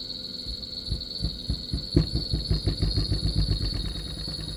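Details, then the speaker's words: Gree inverter AC outdoor PCB on a bench test rig: after release from standby the indoor blower starts, but the outdoor fan motor jerks with dull thumps about five a second under a high electronic whine and fails to spin up. "Outdoor की जो motor है वो भी start होने की कोशिश कर रही है। यह अभी झटके ले रही है।"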